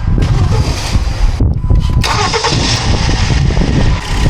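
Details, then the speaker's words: 2013 Kia Forte 2.4L four-cylinder with intermittent crank-no-start and no ECM communication after engine detailing: after a fuse check and key cycle, short crank catches quickly, settles into steady idle; now starts every time; normal crank and start. "okay so now it starts every time"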